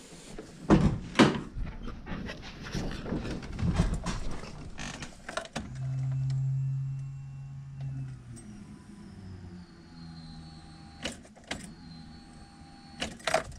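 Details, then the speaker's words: AWD B-series hatch on OEM ECU, key on after hooking up alternator power wire: after clatter, a low steady fuel pump hum for about two seconds fades as it primes and builds pressure; no leaks seen; normal. "pump was priming for a couping hopefully there's no leaks everything seems dry I did hear it like the pressure built up"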